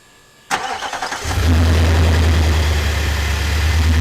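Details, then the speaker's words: 2018 Nissan Titan XD, about 4 years and 40k miles, after replacing its weakening battery with a new, fully charged Optima Yellow Top D27F to cure transmission fluttering and slow starts: brisk crank under a second, then fires and settles to a smooth, steady low idle. Normal start. "comparison so that's the starting speed that evidently these should have this is a fully charged battery this is a new battery"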